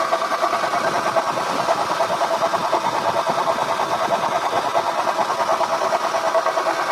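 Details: Acura TL at idle before repair: a wavering mid-pitched moan pulsing a bit over once a second from the power steering pump, which also leaks; owner suspects shaft play, though the car drives fine. Worn pump, to be replaced.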